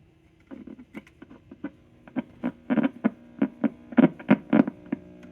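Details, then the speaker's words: Decca portable record player, untested before restoration, gives a steady low hum with irregular crackling taps through the speaker from bad filter capacitors that need replacing. "making noise but it's got some bad filter caps you can hear that humming noise so that means it needs to be replaced"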